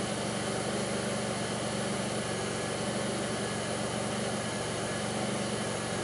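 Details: 2002 Pontiac Grand Prix 3800 V6 with a rough, bogging idle, no check engine light and an overheating alternator, logged with Torque OBD2: a steady but lumpy idle with uneven low pulsing, no clear thumping here; faint intermittent thumping reported, cause unknown.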